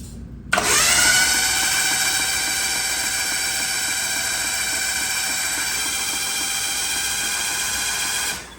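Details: Mitsubishi Mirage 1.8L DOHC turbo engine, spark plugs out, cranked on the starter at 16 volts to prime oil: steady, high, even whine with no compression pulses; healthy cranking, oil pressure reached quickly.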